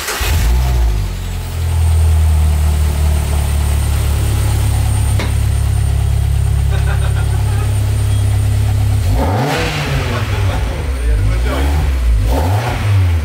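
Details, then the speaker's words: Peugeot 205 GTI with an RC engine swap, first start after its fuel pump was hooked up, the manifold smoking slightly. A steady low drone holds even, then a few clean throttle blips rise and fall; it runs smoothly. "et voilà ça sonne bien je pense que elle sonne déjà beaucoup mieux que la 206"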